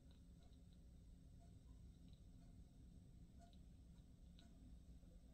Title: KEF LS 60 crackling noise